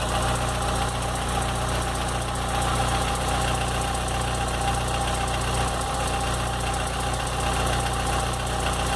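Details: 2007/2008 VW Gol G4 at idle: steady idle with a faint rapid ticking over the low hum; unusual noise, source not yet identified.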